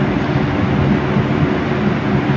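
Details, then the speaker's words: 2006-2007 Lasko 3733 box fan bought secondhand, running on medium after a big speed jump from low; loud steady airy whoosh with low motor hum, no ticking, wobble or scraping; runs smoothly, with a distinct sound the owner finds nostalgic. "I remember this sound. It's very nostalgic to me. I remember these were always used on medium, only medium."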